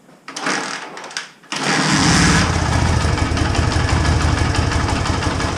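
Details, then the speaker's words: 1980 Honda XL250S single-cylinder on choke before repair, later traced to bad fuel: catches and settles into a soft, uneven low thumping idle, barely running, expected to stall once warm without throttle. "show you what it used to be like before I fixed everything barely running as you can hear barely running I think once it warms up in a few seconds it's going to stop and then I won't idle and then I have to use the throttle to make it idle"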